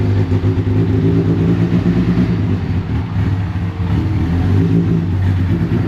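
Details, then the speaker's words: Rebuilt Deep Orange 9 engine on its first start attempt, supercharger not refitted and starter fluid sprayed in. A steady low drone sags and surges slightly while the throttle is held open; it won't idle, and the cause is unclear. "of course it won't idle uh anytime that you saw nobody in the car and it running at a consistent operating Point meant that the a brick was just on the gas"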